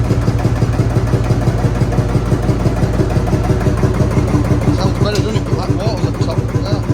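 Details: Field Marshall Series 3A single-cylinder diesel on its first start after a rebore and oversize piston, fitted after a piston ring snapped, likely from bore pitting. Deep, even thump at about three beats a second, regular and steady with no knocks; normal running.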